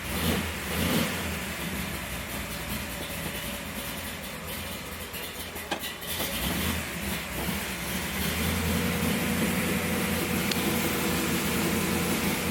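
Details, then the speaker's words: Pontiac Tempest, carbureted with no choke, cold after winter storage: catches, revs, then sags and hunts unevenly as it tries to idle on its own; rough cold idle. "Almost wants to idle. Doesn't take much. Yeah, it's trying."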